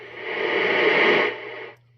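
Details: Taiwanese-made Cobra 148 GTL CB radio with odd modifications, on AM receive with volume up: steady loud hiss swells about a second and a half then cuts off; high noise floor, cause not yet found.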